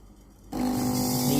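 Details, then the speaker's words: Philips GC9550 steam iron station, after fuse replacement for no steam and unheated boiler, powered on with boiler heating: quiet then sudden steady buzzing hum with low drone; water pump running normally, feeding the boiler. "Et vous pouvez pomper de l'eau dans la chaudière (pompe à eau normale)"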